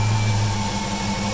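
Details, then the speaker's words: Steady whine at idle from a freshly installed new JS 240 amp alternator, voltage low around 14.0 versus usual 14.4; owner suspects the alternator is failing or maybe normal or needs break-in. "warning whenever I've had an alternator whine like that in the past means it's about to die means replace it there's no way but that could be normal"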